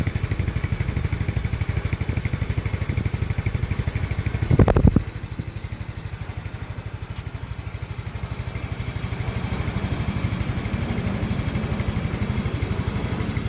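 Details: Yamaha Mio i 125 scooter that had engine knock from running low on oil, idling after repair: steady, even putter with no knocking or tapping apart from one brief clatter; engine running healthy.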